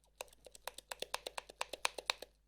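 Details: Canon FDn 300mm 1:4 L lens shaken: quick bursts of sharp bright clicks from loose focus group, caused by one loose screw in focus ring under rubber grip; fixed with Loctite 222 and tightening.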